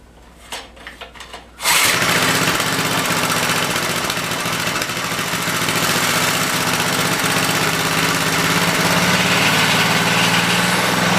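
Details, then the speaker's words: 5HP Briggs rototiller after fitting double carburetor-to-tank base gaskets: a few pulls, then it catches into a busy, uneven, hunting idle; hard to tune, often running rich, fuel cap vent suspected. "either it would be too lean or too rich a lot of time well a lot of time would be rich so i decided to take a look at the cap"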